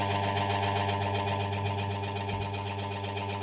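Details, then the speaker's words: Washing machine motor that got wet, after capacitor replaced: steady low mains hum without spinning in one direction, other direction turns slowly; capacitor ruled out, burnt motor winding needs rewinding. "Jadi udah jelas ini mesinnya teman-teman ya. Mesinnya harus digulung lagi."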